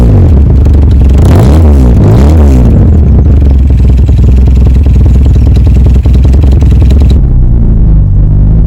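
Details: 1970s Datsun 120A Cherry F-II with its 1171 cc four-cylinder: catches and settles into a steady, even low idle with no knocks or misses; normal start.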